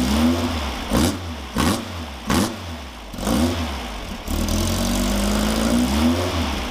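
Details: Freshly built VW 1776 air-cooled flat-four on engine stand, dual Webers, stock pea-shooter exhaust, electric fuel pump: crisp, even idle with clean throttle blips rising and falling smoothly; normal revving.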